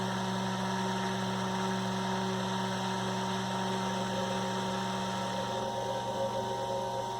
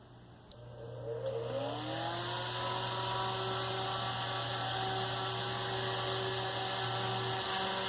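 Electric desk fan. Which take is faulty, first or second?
first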